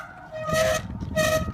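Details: Trek Crockett 7 TRP RevoX cantilever brakes, squeal persisting after full replacement and adjustment; two loud honking squeals at steady pitch as brake bites, louder and uglier with speed; brake squeal.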